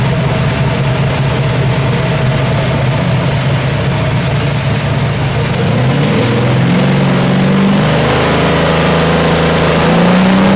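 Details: Freshly built 427W Ford V8 (538 hp street crate engine) for an AC Cobra: catches and settles into an even, lumpy idle, then revs cleanly up and back down; normal start and idle.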